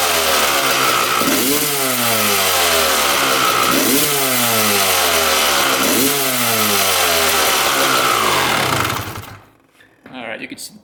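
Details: 1995 Honda CR250 two-stroke after engine teardown, crank seal and welding repair for a severe bog: crisp, raspy blips rise and fall about three times, pulling cleanly without bogging, then shuts off.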